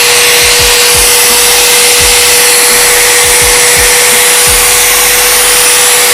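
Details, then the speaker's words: Bosch GWS 060 angle grinder (made in China), running free with no load; high, steady motor whine at one pitch with a smooth hiss and no rattle or grinding; sounds fairly smooth and the gearbox stays cool, a healthy grinder. "suaranya lumayan halus vs ini juga tidak panas tidak panas guys"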